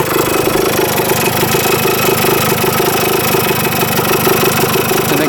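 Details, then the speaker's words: 1977 Kawasaki KE100 two-stroke enduro, revived after 10 years parked, float height reset, running without air filter: crisp, buzzy idle with a steady popping rhythm and no top- or bottom-end knocking; sounds healthy. "But uh yeah, sounds pretty good. No knocking in the top end at all. Bottom end sounds pretty healthy."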